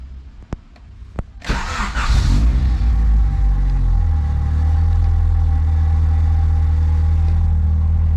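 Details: Honda Ferio cold start after about five months parked in a garage and a week without warming up: a few clicks, a short crank, and it catches within a second and settles into a steady idle. A clean start.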